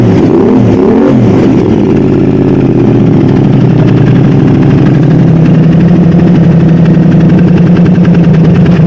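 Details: Modified Aprilia RS660 first start after oil filter change, new exhaust and coolant refill, before bespoke remap: strong, even low burble settling into a steady smooth idle; sounds healthy.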